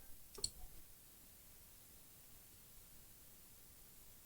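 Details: Amplifier powered on after fitting an NPN transistor (200 V, 1.5 A): two sharp single clicks a few seconds apart in a quiet room; protection relay engaging normally, amplifier working.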